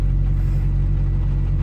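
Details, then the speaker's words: Ford 6.0 Powerstroke diesel truck, warm idle with oil temp at 164, pressures good, before first drive: steady even low diesel rumble with no knocks, misses or surging; running and feeling smoother, idling smoothly and healthy. "but pressures look good the truck's running really smooth so it sounds it sounds like it's running smoother it feels smoother"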